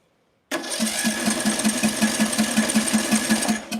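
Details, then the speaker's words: Small engine with ignition coil air gap set wide in a coil-gap test, no choke: starter turns it at an even four or five beats a second with no firing; cranks but won't start, spark present but weak. "It's sparking. Yep. It's sparking, but just what? Not enough to I I guess it's not hot enough."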